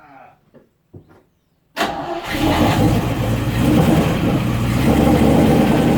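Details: 1972 Range Rover A-suffix V8 during restoration, flooded and hard to start: quiet, then catches suddenly and roars up to a steady high rev under full throttle as it clears.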